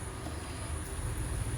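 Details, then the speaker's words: Microtek EV 1100 home inverter in battery mode: a deep, rough humming. Dust and moisture on the driver board may be the cause, with the drive voltage to be checked; annual service is advised. "तो ये देखिए माइक्रोटेक का EV 1100 है जो battery mode में ही humming sound करता है।"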